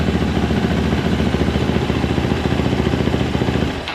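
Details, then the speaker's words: 2024 Yamaha YZ450F after repair for a broken gear tooth, first start with fresh oil and coolant: single-cylinder idle with quick, even thump about three and a half beats a second, no knocking, then shuts down; now quiet. "Um, kind of a pain in the ass with them, but you know, it runs. It's quiet now."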